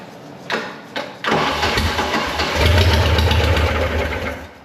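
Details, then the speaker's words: Seized, freed-up MerCruiser 3.0L marine engine, flooded and primed with gasoline: starter clunks then steady cranking without clean firing; owner notes a possible manifold leak, down on a cylinder, heavy blow-by, fuel pump not picking up fuel. "a lot of blow by and the fuel pump is not picking up any fuel"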